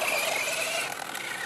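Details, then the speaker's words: Traxxas Slash 4x4 RC truck on 1/8 buggy tires running on rough track: raspy, high-pitched gravelly whine with wavering tones from the drivetrain; owner says main bearing is worn; worn bearing noise. "going to do a little running vid here again my my main bearing if you guys can hear it is really"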